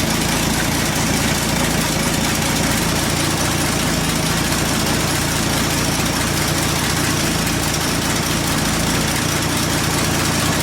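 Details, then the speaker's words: 1967 Chevy C10 with 250 straight-six at idle: a sharp, fast puffing tick over a steady idle; a broken exhaust hanger is suspected of pulling the exhaust down and causing a leak at the manifold, unconfirmed. "kind of thinking / hoping that our culprit is that broken exhaust hanger, which is pulling down on the exhaust and creating a gap or a leak up at the manifold. So let's fire the truck up and hear the exhaust leak,"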